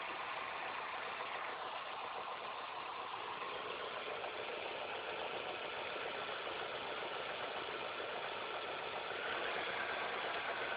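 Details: Engine idling after all belts, the timing belt and the tensioner were replaced: thin, uneven ticking chatter about three to four per second over the engine hum, an annoying noise of unclear source.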